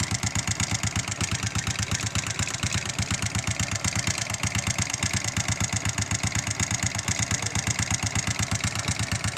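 Idle with a sharp, even knock about three per second standing clear above the exhaust beat; a knock of unknown origin.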